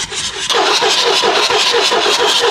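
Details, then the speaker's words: 7.3L Powerstroke diesel at 500,000 miles, cranking after Full Force stage 1.5 injectors were installed and glow plugs refitted, to check nothing is locked up: even, unlabored cranking, about three pulses a second, no binding. "make sure everything's good nothing's locked up so I'm just going to hit it one more time"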